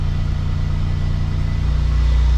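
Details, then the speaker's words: Warm engine idling at about 1500 rpm instead of 750–800, low drone climbing on its own with no throttle input after the car sat two days; high idle from a faulty throttle position sensor (P0121). "Y'all could kind of hear the idle going up already. All right, y'all see it going up. I'm not pressing the gas."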